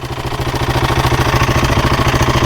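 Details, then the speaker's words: Husqvarna 701 single on a trail trip, oil level over half on the sight glass: loud metallic clatter at idle, about ten beats a second; owner suspects the timing chain tensioner. "But the this is this this shouldn't be making the amount of kind of clatter that's coming isn't right. Right. that clattering. I think it's coming from the"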